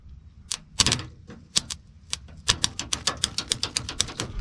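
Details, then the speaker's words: 1991 Ford F-150, key on, fuel pump heard; sharp dry clicks, scattered then about six a second, no cranking, starter trying to engage; battery charged overnight, owner suspects ignition switch or battery, later says battery sounds dead. "I don't know if we need to try this out maybe. Huh. I hear the starter trying to engage."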